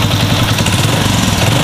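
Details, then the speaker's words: Honda Revo FI fuel-injected motorcycle that would not run, injector replaced, after adjusting idle/throttle position: steady, even single-cylinder beat, no stumbling (brebet) or misfire, engine pull now matches throttle; normal running. "nah ini udah sesuai jadi tarikan mesin dengan gas itu sesuai"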